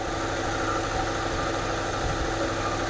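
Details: 1992 Camaro RS running for the first time after brake and fuel system work, mouse nest blown out of exhaust, fuel pressure high (owner suspects return line too small), no fans hooked up; steady even idle, no knocks or misses; normal idle.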